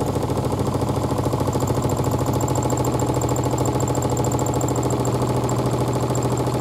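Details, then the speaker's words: 2012 Miele W5000WPS Supertronic washer speeding up in spin: steady low drone with even throb about twice a second, whole chair vibrating, which it normally doesn't do; excessive vibration, cause unknown. "speed up measuring on the r scale normally doesn't do that wonder what's happen nor doesn't do whole chair is vibrating"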